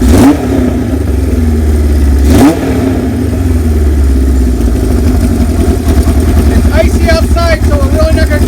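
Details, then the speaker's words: 1978 Kawasaki KZ1000A estate project bike, cold-blooded on a cold day, fired up: starter catches quickly, steady even idle with clean throttle blips; runs smoothly, normal running and revving. "but for our purposes it's about done so I'm going to fire it up for you we had it run a little bit earlier"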